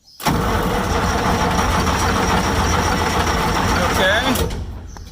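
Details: Massey Ferguson 550 diesel tractor, first start since 2019: steady cranking at about three and a half turns a second without firing while bleeding with injectors 1–3 cracked; fuel reaching injector 2, air still in fuel lines.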